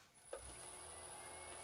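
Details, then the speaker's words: Lathe on a frequency drive, bearings freshly oiled: brief knock then quiet, steady motor hum with faint high drive whine, running smoothly. "Well, it's alive! So far so good. It runs,"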